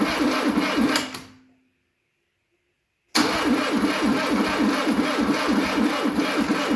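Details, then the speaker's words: 1972 Fiat 850 Sport Spider barn find that sat 22 years, with fuel poured in from a cup: even cranking at about three compressions a second, a pause, more cranking, never runs on its own. Crank no-start; owner suspects a weakening battery. "Well, we might have to call it a night. I think my battery's wearing down and I don't have the charger here, so we'll pull it out, come back tomorrow, and have a fully charged battery."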